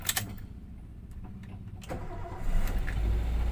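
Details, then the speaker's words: 2009 Toyota Avanza with oil warning light staying on: cranks and catches into an uneven, lumpy low idle with a rough knock; main bearing wear from oil starvation. "Pada kesempatan kali ini saya akan berbagi proses diagnosa dan perbaikan Toyota Avanza 2009 ini dengan kendala indikator oli menyala terus kemudian suara mesin kasar ya kita coba hidupkan mesin"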